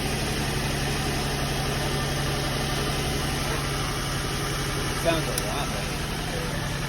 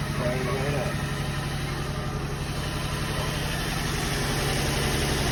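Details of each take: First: Nissan 350Z/Infiniti G35 running after a valve cover gasket replacement, reportedly running perfectly with no fuel smell: a steady idle with a raspy, puffing edge over the hum; more than one hole in the exhaust, a new exhaust likely needed. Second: Nissan 350Z/Infiniti G35 V6 after valve cover gasket replacement: steady even idle, sounds better than before, with no ticks or knocks; exhaust has holes.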